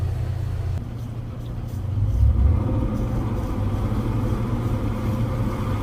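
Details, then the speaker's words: Twin Yamaha V8 outboards on a Pursuit 345 Offshore, throttle hammered down after a no-wake zone during a generator shutdown sea trial: a deep, even rumble building smoothly with no stumble or knock; normal running under acceleration. "so well it's definitely running good i love the sound of those v8s they sound good yamaha's always have a good distinct sound to them"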